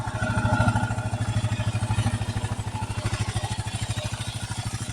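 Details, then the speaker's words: 2008 Kawasaki KLR 650 at 19,000 miles, warm-up idle set lower than usual: steady idle with a dry, even tapping clatter; owner suspects loose top end (valve clearance) or balancer play on this side, not confirmed. "At least from my perspective. They're kind of loose in the top end."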